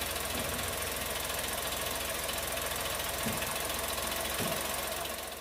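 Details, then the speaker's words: New Chevrolet Tracker with GM's 3-cylinder turbo engine at the first cold start of the day (8 am), hood up, camera on the engine: quick, slightly uneven ticking over the idle; a dealer mechanic called it normal fuel-injector noise. "acontece na primeira partida do dia geralmente vai fazer esse barulho porque porque os bicos injetores estão trabalhando"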